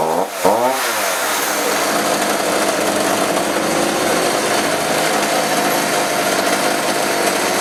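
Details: Chainsaw that wouldn't rev, after carb adjusted and spark plug suspected: quick start into a steady, even high-pitched buzz with no stumbling or surging; runs fine.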